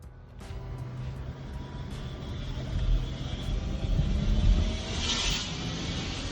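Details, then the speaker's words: Car with check engine light on: steady engine rumble with a faint whirring whine on top during acceleration, likened to an electric bike; abnormal acceleration noise, cause not determined. "Customer states the check engine light is on and there's a noise when accelerating."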